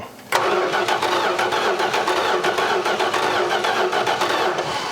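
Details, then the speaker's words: 1986 Dodge Ram D100 farm truck, sat under a barn 15+ years: starter cranks at a steady, even rhythm but it never fires. No spark; power reaches the coil but not the electronic ignition, which is suspected faulty. The computer was also suspected. "yeah it's no spark I'm not getting shocks uh we're gonna have to chase down some stuff and see why we're not"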